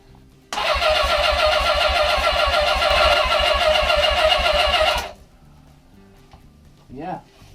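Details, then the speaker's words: Suzuki GS550 barn-find motorcycle, off the road almost 20 years: steady starter churn with even compression pulses about three and a half per second; engine turns over but doesn't fire; carbs need cleaning. "hey it sounds like there's a bit bit of compression so it might"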